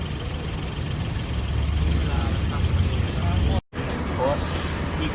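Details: Nissan Almera after repair of ignition coil and EGR motor (code P0400, misfire), previously shaking with check-engine light; now steady even low idle rumble with no shake or stumble.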